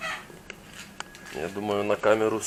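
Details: Porsche Cayenne brake caliper squeaking: quick bursts of creaky, wavering-pitch squeaks while braking, likely dry caliper guide pins on the right front wheel; after repair the squeak mostly went, only that wheel still squeaks.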